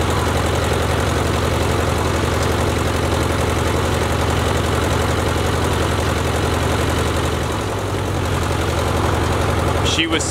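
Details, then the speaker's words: Ford Jubilee tractor at idle after a carburetor was swapped in: steady, even low chug with no misses or stumbles. Runs cleanly; the adjustment screws may still need work. "uh sounds pretty good"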